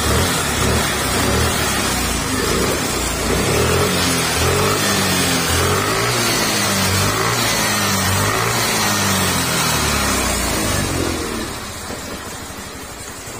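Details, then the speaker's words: Suzuki Burgman 125 whose engine ran dry of oil, after repair with the throttle body refitted and valve clearance adjusted. It revs up, holds and settles smoothly with an even, quiet note and no tapping or rattle: normal running. "Tapos ayan na nga, binabalik na nga ni Kapulong yung mga throttle body, ina-adjust yung valve clearance para saktong-sakto yung tunog ng makina. Ayan na nga. Tahimik na uli yung makina niya mga sara."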